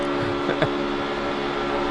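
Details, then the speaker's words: NASCAR race car at Talladega with restrictor plate, drafting in gear at about 8,400–8,500 rpm: high steady engine note almost never changing even through corners; normal steady high RPM. "But you can hear the RPM. It almost never changes. Even in the middle of the corner, it's turning in the draft right now with this restrictor plate in this gear."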